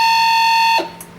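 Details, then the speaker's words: Master Chef countertop ice maker with its water pump replaced, powered up with no water in it: harsh, steady high buzz from the pump running dry, judged worse than the old pump. "okay there's no water in it at the moment I think that's actually worse now that's"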